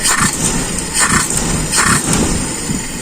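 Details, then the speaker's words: Carbureted car engine just started and cold. Quick throttle snaps without the accelerator pump give a dull stumbling burst before the revs climb, a bog the owner says is typical of a correct primary jet while cold. "inilah ciri-ciri spuyer primer yang pas malam ya yaitu ketika tanpa pompa akselerasi kita gas spontan itu engok"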